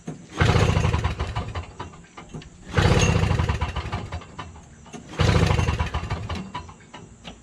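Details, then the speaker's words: Toro Snow Commander 7HP R-Tek 24-inch single-stage two-stroke snowblower, hot day, 50:1 fuel, primed and choked, good compression: three rough pull-cranks about two and a half seconds apart, never firing; no spark. "Prime again. Yep, no spark. Just doesn't even have a sign of starting."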